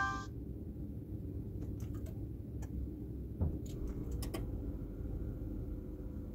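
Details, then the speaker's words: Toyota Prius showing code P0A94 (DC/DC converter), with a coolant leak: at power-on, irregular sharp relay-like clicks come from under the hybrid battery while the dash radio cycles on and off. Cause unconfirmed. "But something is making the clicking noise under the hybrid battery."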